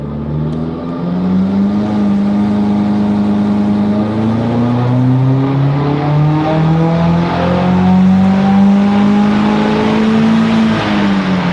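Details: 2016 Subaru WRX with a flex-fuel kit throwing flex-fuel errors, full-throttle dyno pull: engine pitch climbs smoothly under full load, even and clean with no pinging or rattle; no knock found in logs, normal run.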